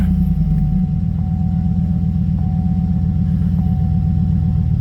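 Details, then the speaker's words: HeadHunter truck V8 with check-engine light on, running rough since last week: an uneven, stumbling idle; code P0304 shows a cylinder 4 misfire, with the cause not yet found. "i got a problem with a head hunter here she's uh she's running rough and it started last week"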